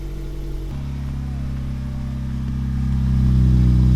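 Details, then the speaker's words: Toyota Yaris, one month after swapping to a 1ZZ throttle body, cold morning start: catches and holds a fast, even idle that climbs higher over a few seconds; normal high cold-start idle. "so there's always cold startup it's kind of high"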